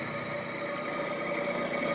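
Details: Tree Tool and Die Works Tree milling machine head after teardown and rebuild with new bearings and belts: smooth, steady spindle hum with even tone, no knocking, rumble or bearing growl; taper runout measured about 0.00015–0.0002 in.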